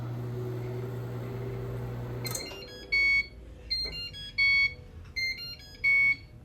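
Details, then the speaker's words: Microwave oven after replacing the faulty door switch that caused a no-start: steady low mains hum runs evenly for two seconds, then stops and the usual beeps follow; working as intended. "Got a new one in. $7.41. Functioning as intended."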